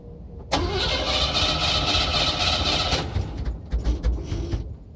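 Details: Cadillac hard start: steady rapid cranking for about two and a half seconds with no catch, then uneven sputtering as it struggles to start; prolonged cranking.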